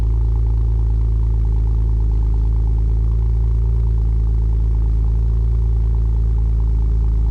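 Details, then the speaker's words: Cold start of a V6 5th-gen Camaro with MRT V1 axle-back exhaust: deep, steady exhaust rumble at a fast, even cold idle, running normally. "So we're going to kick things off with a cold start, get some acceleration, some interior shots, show you what it's like to hear it on the inside, and yeah, so let's just go ahead and jump right into it."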